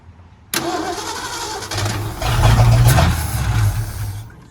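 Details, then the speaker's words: 1951 Ford F1 truck, battery jumper box, fuel pump not yet feeding, oil pressure confirmed: starter churns steadily a few seconds, engine briefly tries to catch then dies, cranking without starting; owner suspects it just needs gas. "yeah we just need gas we need to probably get some gas and she's a runner"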